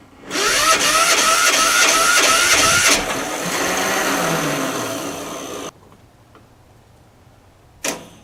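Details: 10hp LaunTop Yanmar-clone diesel, cold start at about -4C. Fast rattly cranking for about three seconds, a brief ragged run, then it dies. Poor ground connection through the painted-over ground stud and painted surfaces.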